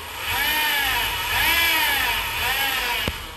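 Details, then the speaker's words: 2017 Honda Accord at idle and on acceleration: high whine rising and falling with revs, heard right after starting; suspected from the accessory drive belt pulleys rather than inside the engine, before belt-removal test. "the customer came and he's complaining about a whining noise when he turns on the car so let's check it out you can hear the noise right away even when you accelerate"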